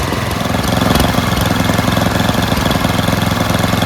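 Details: MTD Yard Machines 824 8hp Tecumseh Snow King two-stage snowblower idling after cleaning pilot jet, adding Seafoam, setting idle screw and tightening governor linkage: steady even single-cylinder putter with no misses, hunting or knocks; healthy idle.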